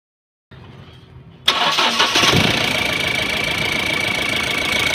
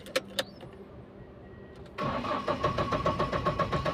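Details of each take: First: Mahindra Bolero MaXX Pick-Up diesel with starting problem and code P0A0F-00, after replacing a faulty sensor: brief crank, then catches cleanly and settles to a steady, even idle with no misses or knocks; normal start and idle. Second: Mahindra Bolero MaXX Pick-Up diesel with code P0A0F-00, cranked after code clearing and coupler refit: starter churns steadily at about four strokes a second but never fires; crank no start, cured later by replacing a faulty sensor.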